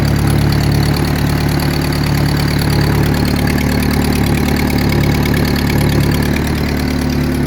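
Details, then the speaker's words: Turbocharged car: steady deep idle with a fast raspy puffing tick on each firing pulse; owner suspects an exhaust leak from a downpipe with no gasket and skipped bad gaskets. "And it actually sounds like a really bad exhaust leak. So we probably should have actually done the gaskets."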